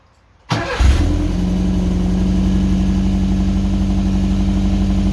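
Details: Subaru wagon after welding in a new Lukey Turbo muffler replacing a straight-through X-Force: first start catches within a second, flares briefly, then settles into an even, mellow idle with a soft, steady exhaust note.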